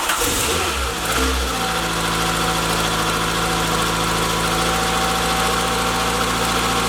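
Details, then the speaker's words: Mk1 VW Citi Golf starting first time after reconnecting the battery, following an engine bay wash: harsh hiss-like squeal at start-up, then an even idle. Water on the drive belt makes it slip and squeal. Some exhaust smoke is product burning off. "car started first time, that noise that you might have heard was just the belt, water got on the belt obviously, so it made that noise,"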